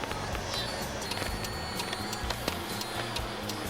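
Quick, sharp relay clicks over background music: the turn signal flasher is cycling too fast.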